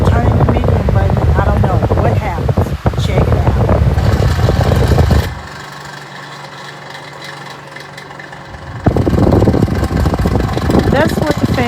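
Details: New fan straight out of the box, undamaged packaging; perfect on high, but on medium and low settings the motor gives a rough, uneven low rumble like a small engine idling instead of a smooth whir; sounds broken, cause unknown.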